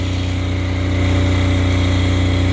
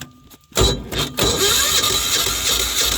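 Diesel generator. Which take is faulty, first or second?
second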